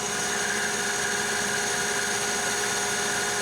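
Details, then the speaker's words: Lathe turning heat-treated and tempered 4140 chromoly steel at high speed, 1120 RPM: even high-pitched cutting hiss and steady ringing, blue chips, chip breaker not engaging; finish superb compared with annealed stock. "Blue Chip blue turnings coming off of it chip breaker is not engaging finish already looks superb by comparison"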